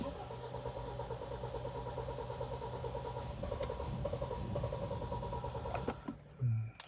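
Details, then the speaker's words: Kia Sportage G4KD 2.0, 13 years old, 160,000 km, first start after piston-scuffing engine repair: starter churns at a slow steady beat several seconds without catching, fuel having drained from the rail; unusually long crank before starting. "странно что-то не хочет давление уже пошло машины запустилась у него форсунка слетала топливно с рампы то есть топливо полностью сбегала с реки но так долго тоже обычно не накачивают то есть запускается гораздо раньше"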